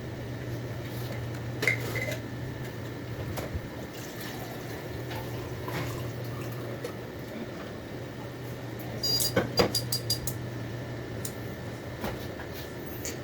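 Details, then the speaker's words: Computer/UPS (nobreak) cooling fan after cleaning and lubricating the bearing with spray vaseline, three fans running: low, steady hum with no squeal or rattle, only handling clicks; previous noise gone, a provisional fix of unknown duration; normal fan running. "normalmente se eu não tivesse feito nenhum procedimento com essas três ligadas já teria feito barulho de novo tá então aí mostra que o problema tá resolvido"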